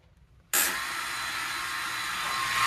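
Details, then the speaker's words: 150 bike that won't start, ignition on and pumped a few times: sudden steady high hiss-like whir comes on with the ignition and holds, engine never starts; cause unclear. "It's on. The sound it's making. And also pump it a few times. It's just not starting up."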